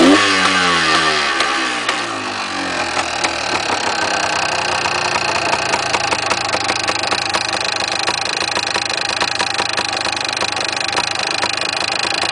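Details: Yamaha DT400 two-stroke engine running steadily with a busy metallic rattle over the exhaust note, about three or four clatters a second; source not pinned down, engine to be opened.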